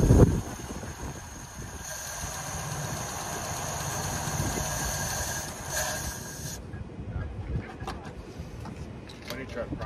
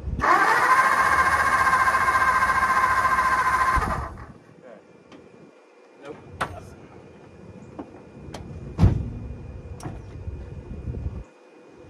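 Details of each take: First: Long-sitting 1954 Ford Mainline, warming up at idle with a vacuum-leak check planned and the radiator low: old petrol engine with a steady, even idle and no ticks or clatter, sounding healthy. It ran only briefly because the fuel pump wouldn't work. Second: 1954 Ford Mainline long unused, cranking while testing for spark: about four seconds of steady cranking that never fires, then the starter stops; no spark, so no start.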